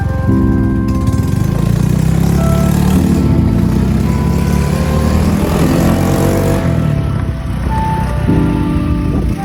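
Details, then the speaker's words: Honda Beat Deluxe scooter after fixing a front CVT rattle under throttle, now with 8 g rollers and a 1500 spring. The engine revs smoothly with no rattle, over music, with a slight puffing exhaust leak: smooth CVT. "Oke, jadi ternyata enak banget, Teman-teman. Sayangnya ini knalpotnya bocor ya, Teman- jadi suaranya kayak ada bles-bles blesnya gitu."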